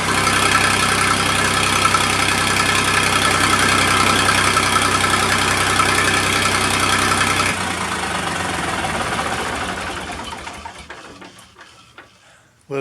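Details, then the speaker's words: Massey Ferguson 2244 tractor, fresh Perkins 3-cylinder diesel, first start in five years, cold: even steady idle clatter then a smooth wind-down at shutdown; engine sounds healthy. "fella still doesn't sound too awful bad like i said the engine is fresh"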